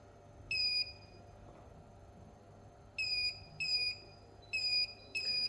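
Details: Dead Asus TUF FX506L laptop motherboard, bench supply injecting about 1.44 V into the main power rail: five short high chirping beeps in uneven bursts at current limit; dead short on the main rail, due to a bad MOSFET.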